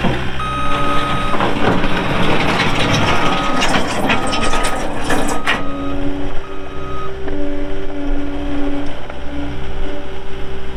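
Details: 2020 Caterpillar 259D3 skid steer loader, 1,484 hours, backing up; steady diesel rumble with a clear, evenly spaced reversing beep; alarm working normally.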